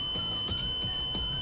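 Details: Elite Gourmet electric burner not heating, unplugged, multimeter on continuity probing the circuit to find the break; steady high-pitched tone throughout means this section has continuity.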